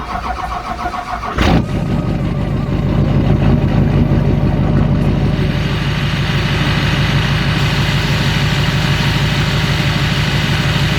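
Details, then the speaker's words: Chevrolet Duramax diesel: cranks, catches and idles with a steady low hum under the clatter, suspected from the idler pulleys, before replacing them; humming noise at idle. "So I think that humming noise is from those idler pulleys. We're going to try to fix those."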